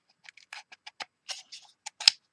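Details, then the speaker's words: John Deere D155 lawn tractor throttle lever, reassembled with roller pin after slipping complaint: light dry clicks moving through positions, crisp firmer click into top detent toward choke; detent working, unit still to be replaced as a spring is missing. "And it does click. Hopefully you can hear it. So now I'm at throttle speed and I'm going to go into the choke."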